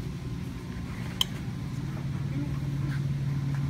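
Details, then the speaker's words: Mini fridge compressor: a single sharp click over a low room hum as the compressor's thermal overload trips shortly after startup. The vibration then stops and the compressor is no longer running. "What do you think that was? The overload. The overload."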